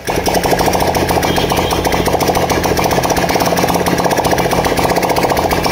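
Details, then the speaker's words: Honda Dream Yuga single-cylinder bike after half engine rebuild (new piston, rings, cylinder kit, head valves and guides), running without silencer: crisp, even patter at steady fast idle, no miss or knock; earlier white smoke gone. "अभी बंद कर दिया एक बार कोई smoke वगैरह कुछ भी नहीं आ रहा है पहले जो वाइट स्मोक आ रहा था"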